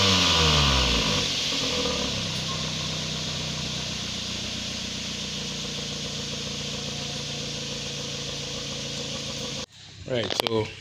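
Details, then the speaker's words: Mazda 3 with a head gasket leak (coolant in the oil, coolant lost through the exhaust, white smoke): hard start after long cranking, then a rough, lumpy misfiring run. "what issue they are also having is getting hard start done i missed fire and a lot of white smoke"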